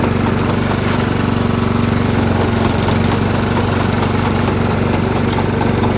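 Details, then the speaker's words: Troy-Bilt riding mower in drive with the brake released: engine runs with a steady pulsing surge about three times a second; worn, slipping drive belt (754-0468/754-0467). "Ever have a machine where you put it in drive and let off the brake pedal and it does this right here? It's making that noise, that pulsating noise right here."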